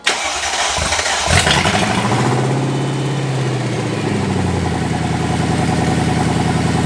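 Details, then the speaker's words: Mercedes M113 V8 swapped into a W210/S210 E320 wagon, first start with no exhaust fitted; cranks, catches and settles into a loud, even burble with no knocks or misses; normal start and idle. "that is awesome hey purrs sounds good damn it runs"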